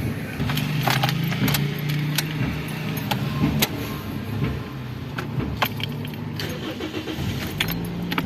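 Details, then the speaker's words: Toyota Yaris, cold, starting after its dirty throttle body was cleaned (idle had been unstable after the battery went flat): it catches and holds a slightly raised fast idle. This is a normal cold fast idle. "Bueno, se mantiene todavía acelerado un poco porque está frío el motor y ya a medida que va calentando bajan las RPM a lo normal, ¿no?"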